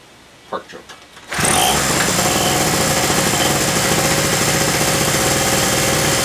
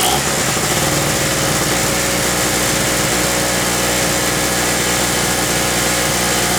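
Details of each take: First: King Canada 950W peak two-stroke generator, about 2 hp, on premixed fuel, sat unused a while and wouldn't start: after plug tightened, a few quiet taps, then it catches at once and settles into an even, buzzy idle with no misses. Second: King Canada 950W (800W running) two-stroke generator, about 2 hp on mixed fuel, long-sitting and previously non-starting, first run after carb work: steady drone that stumbles and sags briefly with a little smoke; running a bit rough, spark plug suspected.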